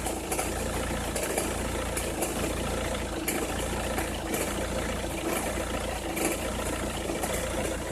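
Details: Opel Meriva, cold engine at idle: irregular sharp crackles and ticks over the engine hum, only when cold or at very low revs, gone once warm; noise seems to come from one side, cause not pinned down.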